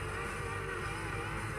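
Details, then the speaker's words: Active speaker in radio mode gives a harsh, crackly, distorted hiss and stays weak even with all pots at maximum; power amplifier normal, cause a burnt supply resistor in the tone control unit. "Suaranya berderak dan benar-benar mati. Di mana letak masalahnya? Meskipun semua potensiometer telah diputar ke posisi maksimal."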